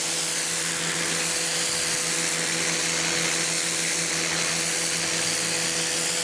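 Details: New Campbell-Hausfeld PW1835 1800 PSI electric pressure washer with a universal motor: loud, steady high-pitched motor whine with an even pump buzz, no surging or knocking. Normal running.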